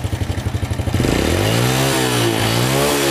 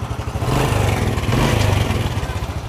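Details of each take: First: Honda Supra Fit with no spark (no ignition) after the pulser/stator coil (spul) is replaced with a cheap one: starts straight away on the starter, no tuning needed, then revs cleanly and smoothly without misfires. Repaired and running fine. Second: Honda Supra Fit single-cylinder, started after fixing a no-spark ignition fault: uneven idle with a light metallic clatter on each beat, louder as it revs, and the engine smokes; cam chain rattle from a worn, slack chain.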